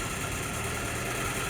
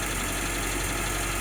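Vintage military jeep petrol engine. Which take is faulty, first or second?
first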